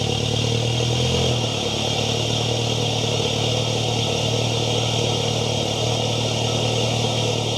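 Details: MK7 VW GTI start-up just after installing an Integrated Engineering cold air intake with heat shield on the stock turbo inlet pipe: brief flare settles within a second and a half into a steady, even idle with no misses or rattles; normal.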